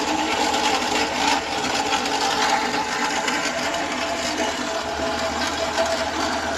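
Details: Renault Sandero 1.6 8-valve, owned one month: loud, fast, busy clatter from the top of the engine, steady at idle; owner suspects cylinder head or rocker arms, cause unknown.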